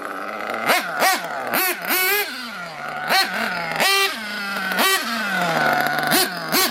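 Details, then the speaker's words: RC nitro engine carb tuning, after leaning low-speed and richening high-speed needle: sharp rev blips, each hanging high before sagging back to idle; idle gap on carb set too wide. "there what kind of idols up a little bit and then drop lets tell me the low-speed needle or the excuse me the idle gap is a little too wide"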